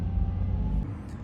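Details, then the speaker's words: Nissan 350Z Nismo VQ engine, not in limp mode, after an idle relearn attempt: low rumble idle that bounces up and down and sags instead of holding steady; idle hunting, cause never found. "it just doesn't know where the minimum idle is and it just bounces up and down this is the story of my life right here this this idol"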